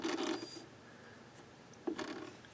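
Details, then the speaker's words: 1970s Sony TC-238 8-track recorder, drive belt missing, motor turned by hand: two short gritty, rasping rubs instead of a smooth spin; very noisy, rough dry motor bearings, owner fears it may not be salvageable. "Very noisy. Uh-oh. We might not be able to do anything with this. You hear those bearings."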